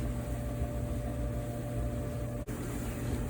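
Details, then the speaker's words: Clothes dryer running with a smooth, steady low hum after disassembly and maintenance, with the top cover still off; the odd noise it made before the service is gone. "everything's back together dryer is running and that odd sound that we heard is now gone so the jar just needed maintenance"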